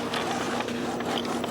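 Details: Epson XP-420/320/424 printer with a newly installed continuous ink system prints a nozzle check: quick irregular clicks and soft whirring of the printhead carriage and paper feed, no grinding or skipping. Result perfect.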